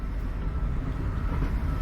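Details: High-mileage 2000 Toyota Sienna minivan driven slowly over alley speed bumps: loud, heavy uneven thumping, rattling and steel-like banging from the rear.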